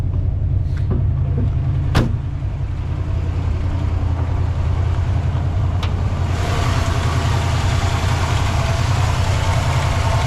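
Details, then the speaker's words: 1964 Oldsmobile 98 V8, freshly revived after long storage: deep even rumble holding a fast high idle on its own; revs up nicely but idle always settles at the same raised spot, owner hopes to bring it down. "we're High idling on our own so that's cool"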